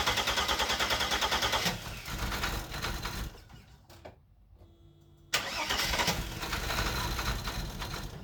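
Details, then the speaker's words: Mercedes 300SE with replaced injectors, left sitting a few days in cold weather with a possibly weak battery: even cranking at about three turns per second without catching. A new hard start. "now is turning into a hard start"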